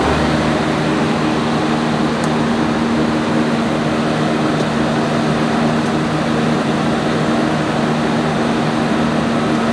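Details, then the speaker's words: Generator with a 1106 diesel engine, after injection pump droop adjustment and voltage setting, during a load test at 100 load. An even, constant drone with a steady low hum and no surging or hunting; stable, normal running under load. "so now as you can see how stable our engine is and even if we put the 100 load it's still in a good condition"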